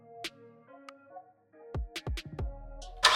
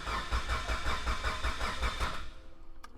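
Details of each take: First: Mitsubishi Evo 8 rebuild (Manley rods, Wiseco pistons, HKS 272 cams) first start with lifters bled of oil: beeps, crank, catch, revs climb with light quick clatter; expected lifter tap settling, not rod knock. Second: Mitsubishi Evo 8 rebuilt engine with Manley rods, Wiseco pistons and HKS 272 cams, new water pump and timing belt, cranked with the crank sensor unplugged so it won't start: even cranking at about 2.5 beats a second, free of knocks, healthy.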